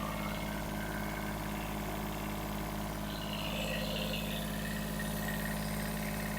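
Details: Kubota B7001 diesel after fitting a new alternator, new radiator hoses and G11 coolant: steady, even idle with a smooth low throb, no knocks, ticks or squeals; charging about 13.1 V, healthy.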